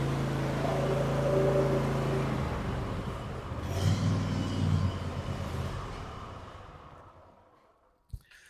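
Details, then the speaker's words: Cub Cadet Ultima ZT1 54" zero-turn after blade spindle replacement, blades engaged on stand: steady low, smooth drone with no grinding or spindle rattle, earlier noise gone; belt may still shake slightly, possibly normal; normal deck running. "That sounds okay. Uh I don't like the way the the belt seems to still be shaking a little bit. I don't hear any shaking. Um and that might just be normal."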